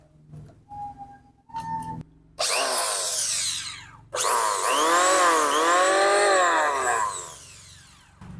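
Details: Richu electric planer loud at the front after reassembly: spins up with rising whine and rough uneven roar; drum bearing found loose, playing up and down, then oiled.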